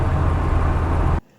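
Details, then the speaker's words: Mk1 Ford Fiesta with Zetec engine conversion, driving after fuel starvation (felt like three cylinders, low-pressure pump inaudible); later traced to swapped low-pressure pump fuel hoses: smooth, deep drone, no stutter or surging; running normally again. "And now it's running fine again."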